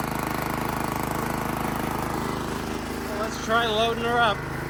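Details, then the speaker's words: Made-in-Italy Workman 2 Multimixer cement mixer, Honda GX160 single-cylinder, about 10 minutes after starting, awaiting a new carb, water in the drum as simulated load: steady, even beat with water splashing, running smoothly and strong; normal running. "well believe it or not this is like 10 minutes later and it still sounds pretty decent"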